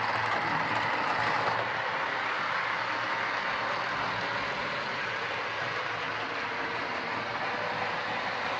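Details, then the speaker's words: Old Trix A4 class Mallard model locomotive, reported very noisy, a poor runner and prone to derailing, on first power-up: loud harsh buzzing rattle with a fast uneven beat of about three per second; suspected noisy mechanism, not confirmed. "Well, that to me sounds like a horrible mechanism more than any sort of problem, but we'll get it into the shed and off to the bench and we'll have a look at it out of curiosity as much as anything else."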